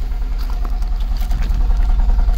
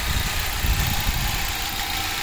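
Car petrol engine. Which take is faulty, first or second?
first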